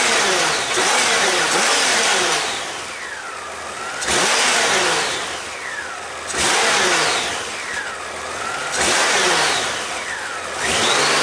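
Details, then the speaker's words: About 30-year-old Honda GL1500 Goldwing after a carburetor clean, accelerator pump leak fix and new air filter, warmed up: clean revs through four blips, returning to a steady idle without misses or stumbling; running normally. "I know it's a lot better than it was but um I'm not 100% sure that it is 100% but it's 30 years old I don't need 100%"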